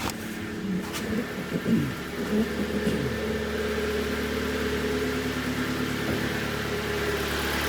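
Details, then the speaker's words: 2011 Kia Cerato 1.6 G4FC automatic with 212,000 km, after repairing piston slap by sleeving the block, recorded from outside: brief blip, then an even, quiet idle; the earlier piston knock and dieseling are gone. "работает ров работая тихо Это самое главное"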